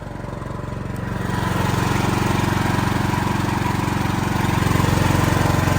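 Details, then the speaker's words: Building backup diesel generator during a monthly test, now carrying the full building load after shutting down on its first start attempt. Steady, even beat around three firings per second, settling as load comes on, with no knocks or misses. Normal. "so the building now is being ran completely on generator power see no problems in here"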